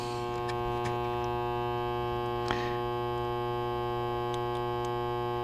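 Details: LM1875 IC amplifier after adding 10 microfarads of supply filter capacitance: loud steady fixed-pitch hum with faint clicks, made worse; too little filtering.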